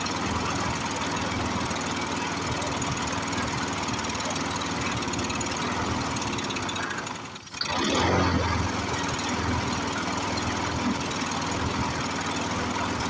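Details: Briggs & Stratton 6.0 hp single-cylinder mower engine, seized from long sitting, run on ether, varnished sticking needle valve. Uneven, lumpy beat with a hard knock-like pulse about four per second, one dip and surge. Rough running; needs carburetor work and tune-up.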